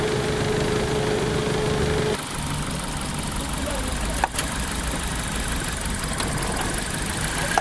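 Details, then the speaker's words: Petrol car idling unevenly with an irregular stumble; scan shows a system too lean bank 1 code, and the cause was a faulty, wrong-type shorted spark plug, replaced to fix the misfiring. "Customer का कहना है यह गाड़ी missing कर रही है"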